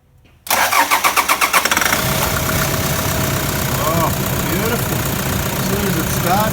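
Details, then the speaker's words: Toyota Land Cruiser 120 Prado with a new replacement engine, first start after final checks: a few quick cranking beats, then it catches into a smooth, even diesel idle with no knocks or misses and no smoke at the tailpipe; healthy idle. "sounds like an absolute gem but i love those brand new genuine modes and this is it the tailpipe not a breath of smoke either"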